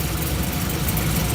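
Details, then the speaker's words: Supercharged Caprice: working injector unplugged at idle gives an uneven, lumpy idle with a hollow stumble; another cylinder found dead, owner suspects its injector rusted from moisture-absorbing E85 left in all winter. "Yeah, you can hear that noticeably running worse."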